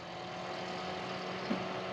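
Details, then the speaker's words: Boat fridge with new sync unit and corrected compressor wiring, after reset; steady low hum holding even pitch without cutting out or stuttering; healthy compressor running. "now compressor kicks on stays running like it should doesn't kick"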